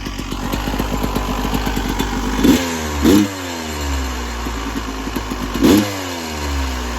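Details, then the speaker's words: 1996 Yamaha YZ250 two-stroke after carb tune-up (previously weird low-end idle, suspected pilot jet), coolant topped up, still cold at about 13 degrees: crisp crackle at idle with three clean throttle blips, revs freely and returns to idle; healthy. "I'm going to top up the coolant and fire it back up. Okay. Already sounds good."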